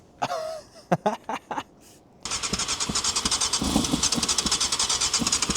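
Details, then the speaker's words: 1998 Yamaha YZF600R Thundercat, sat unused since 2013, first start attempt: after handling noise it catches in quick uneven pops only on sprayed brake cleaner; has compression and spark, but fuel starvation as carburettors aren't feeding and need full rebuild. "I would say the carbs need a full >> So that's what's stopping it from actually sort of turning over over now."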